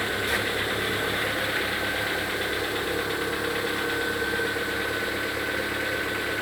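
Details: Lada Vesta with 26,000 km, cold idle: a faint, uneven tapping over a busy top-end clatter, present since new. Replacing the pistons made no difference and the piston pins were replaced oversize; the knock source is unconfirmed.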